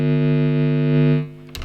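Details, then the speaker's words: Supplied power adapter of an isolated guitar pedal power supply, heard through the amp: steady low buzz with bright overtones dropping away after a second; power supply hum feeding into the signal chain. "so first of all what I did I got this power supply that came with it and I thought well I'll check to see how noisy the actual power supply is pretty noisy"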